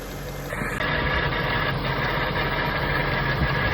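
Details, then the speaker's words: Jaguar XK8 at idle, belt refitted, probed with a stethoscope under the car: loose, uneven rattle about three a second; owner suspected the torque converter in the bell housing, belt-driven accessories also possible; unconfirmed. "I was convinced that the noise was coming from the torque converter in the bell housing."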